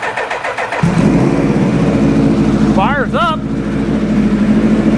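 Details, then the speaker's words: 2000 Suzuki Hayabusa with a possibly newer (about 2002) engine, after rewiring, with the throttle bodies synced: fires right up but idles with a choppy, chugging beat, seemingly dropping cylinders 1 and 2; misfire, cause unknown. "still running crappy though but it fired right up sounds like it's still dropping those two cylinders for some reason"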